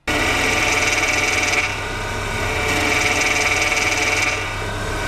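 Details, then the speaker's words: Hydraulic power steering (HPS/DHB) with the wheel held at full lock: a steady hiss and faint whistle that swell and ease; normal relief valve noise, not a fault, though holding full lock for long at high revs can cause harm. "o alívio de pressão é um ruído inerente ao sistema que corresponde ao gemido seguido do assobio intensificado em função da ação da válvula de alívio aberta quando o volante é forçado em final de curso ou"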